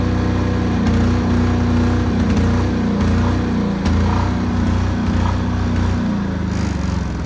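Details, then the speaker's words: New Chinese air-cooled single-cylinder diesel generator (Yanmar L100 copy, 5000 W), first run test after bleeding fuel, breaker off. Steady diesel thump with no sputter or hunting; running normally. "Got the garage door closed cuz this thing's loud. It's not loud loud, but it's loud enough to for me to not talk over the camera."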